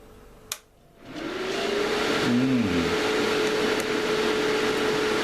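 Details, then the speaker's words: Series-mounted cooling fans spin up to a loud, steady whooshing roar with a clear whine on top; far too noisy, and the mounting arrangement is to be changed to cut noise and increase airflow. "okay so polishes for the noise if you've got a sensitive disposition time to put your fingers in your ears"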